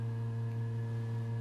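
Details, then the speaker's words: Room with a suspected window-vent noise: a constant low buzzing hum with a thin steady whistle above it, unchanging throughout; whistling and buzzing, cause unknown. "not sure if you actually hear the noise this room is making between that buzzing sound and the whistling. Still really annoying."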